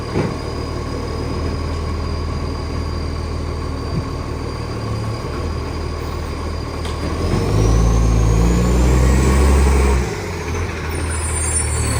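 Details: West Torrens diesel garbage truck: a deep diesel drone with a fast chuffing pulse, around four per second, that swells loudly on revving. Big exhaust leak.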